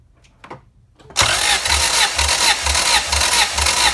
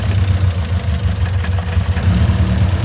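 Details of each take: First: Honda CRX with B17 engine that jumped timing, possibly bent valves, during compression test on cylinder four, throttle not held open: starter cranks in even pulses, about two a second, for four seconds without firing; normal cranking. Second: Honda CRX with all-motor B17, suspected bent valves after the engine jumped time (piston likely hit valve crossing into VTEC on highway); cylinder drop test with cylinder 2 unplugged shows little audible change. Low idle lopes unevenly with a recurring stumble, misfire; compression test next.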